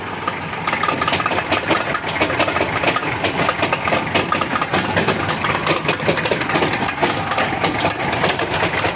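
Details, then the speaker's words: 2013 Mitsubishi Strada Triton GLX, 4M40 2.8L diesel, turning right with clutch released and light braking: a rapid rattling clatter persists over the idle, from a damaged right free-wheel hub. "jadi ini saat berbelok ke kanan. Hub sebelah kanan rusak, teman-teman."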